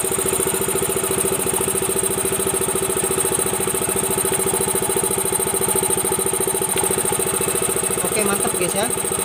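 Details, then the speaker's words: Yamaha Mio M3 125 scooter idling after repair (replaced worn boss and worn, rounded fan pulley on a CVT that had run without grease): smooth, even single-cylinder idle with no rough rattle from the right side or the CVT. "Sekarang dengarkan ya bagian daerah sini halus ya. Halus."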